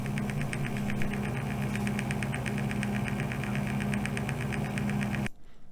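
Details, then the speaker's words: PC case front fan spinning up: steady hum with a fast light rattling tick about four times a second at a certain RPM range, from a dry fan bearing. "you'll hear as the RPM REM something it really starts to get a bit noisy"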